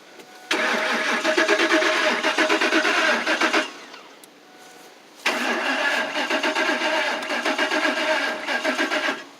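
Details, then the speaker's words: 2004 Lincoln Navigator with 177K miles: two bursts of about three seconds of steady starter cranking with even compression pulses, never catching; crank no start, fuel pump suspected not working. "turn the key on see if the fuel pump fuel pumps not working fuel pumps no good"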